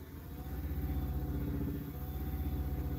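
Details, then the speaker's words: Low steady hum with a throb about four times a second as a big, heavy blank swings on the wood lathe; it is kept at low speed because the lathe is not bolted down. "thing is big and heavy and so i can't really go super fast because this is not bolted down"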